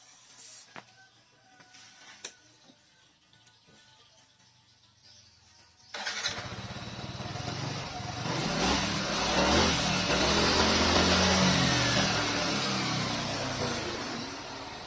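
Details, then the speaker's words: Yamaha NMAX scooter at about 7000 km, previously stalling and hesitating, after cleaning fuel pump filter; fires cleanly and runs smooth and even, now normal. "Alhamdulillah normal tadi waktu kita melakukan pembersihan ditelepon ternyata masih ada permasalahan tadi lampu injectionnya hidup Alhamdullilah sekarang sudah normal"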